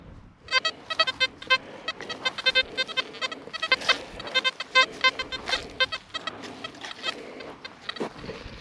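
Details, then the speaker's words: XP Deus metal detector with HF coil on a sparky field, power turned down, frequency raised from 14 to 31.3 kHz: threshold breaks into erratic chirps and warbling squeaks, worse than before; noisy chatter at high frequency. "Now I'm guessing this is going to make it worse, not better. So here we go, 31.3 kilohertz. Absolutely, that's made it worse."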